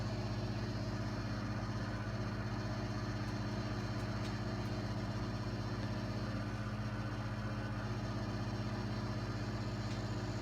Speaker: Heat is kicking in, so that's a good start. Hear the heat kick in? It's perfect, good, working condition.